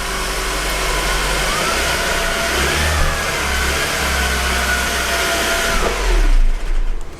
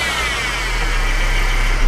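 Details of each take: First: 2013 Mercedes C250 (W204) running about 10 seconds at raised cold high idle with accessory belt removed: steady even sound, whine practically gone, confirming the idler pulley caused it. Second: 2013 Mercedes C250 (W204) engine running: steady high whine from top of engine over low rumble, louder with revs, from worn idler pulley bearing on serpentine belt drive.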